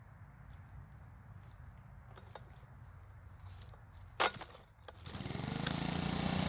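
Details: Makita four-stroke leaf blower after repair and oil change, test run: soft quiet putter at idle, then rising rush of air as throttle opens and holds; quiet at idle and at full throttle, runs smoothly.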